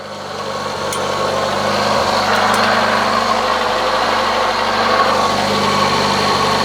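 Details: Citroën BX that sat off the road for 10 years, started after its green fluid leak was repaired, then confirmed with no leaks: a smooth, even idle with a soft pulse about three times a second, no knocking or ticking. Healthy normal idle.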